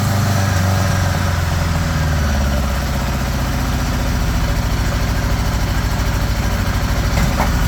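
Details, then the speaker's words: 1975 Honda GL1000 Gold Wing flat-four, cold start after water pump re-seal (earlier coolant leak from weep hole): steady, even idle at slightly fast choke speed, no misses or knocks; no leaks, much less smoke. "That sounds pretty good right there. Idling a bit high, but the choke's still on."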